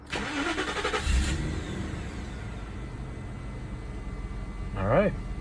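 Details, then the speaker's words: Mid-90s Mercedes E420/400E 4.2 M119 V8 start right after swapping in an older LH module with wide-open-throttle fuel enrichment, in neutral: quick crank, catches, smooth even idle, brief rev; running good. "All right, everything is running good, so let's go ahead and go for a quick test drive."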